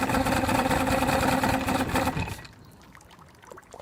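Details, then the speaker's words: 1971 Mercury 500 outboard, after fresh fuel, suddenly barely running when throttled back: rough, lumpy low-speed running with uneven beat for two seconds before dying; running on only two cylinders, cause unknown. "So don't know what was wrong with it at the time. It was definitely only running on 2 cylinders for sure."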